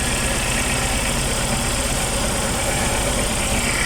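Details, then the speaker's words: Suzuki APV with engine vibration and shaking: uneven, lumpy idle with irregular low thumps in the exhaust beat; one ignition coil has no electrical supply and is defective, causing a misfire, fixed by replacing that coil. "the problem of this uh car is a one Co only there's no no electric so I need to replace this one coil there an engine shaking"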